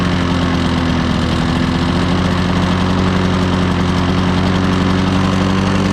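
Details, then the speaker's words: Old Lawn-Boy 10550 two-stroke push mower with a plastic carburettor and air-vane governor, bought at auction: steady but low, lazy drone that never reaches full RPM despite full throttle travel; owner suspects a dirty carburettor or unknown adjustment screws. "Anyway, it didn't seem like it was getting up to full RPM, but I checked."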